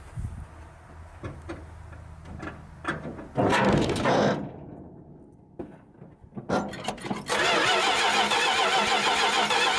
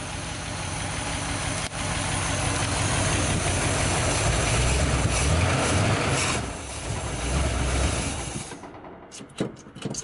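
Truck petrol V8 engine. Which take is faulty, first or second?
first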